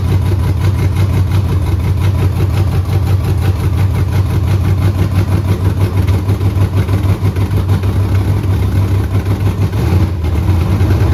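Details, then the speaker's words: Pontiac Tempest with 6.0L V8 and 4L80E swap, first start: fired right up into a deep rumbling idle with a steady low beat, no knocking or ticking, and no fuel leaks; normal start and idle. "fire fired right up I know I couldn't believe that and no um there's no fuel leaks anymore"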